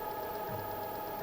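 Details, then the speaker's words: Bulkman3d QueenBee CNC stepper motor, steady high whine with irregular chirps as it misses steps; drivers (DM542 and original) and motors swapped without change, machine grounded and square; owner suspects Mach3 config or faulty controller. "so now listen to the noise this is the motor it's like missing steps"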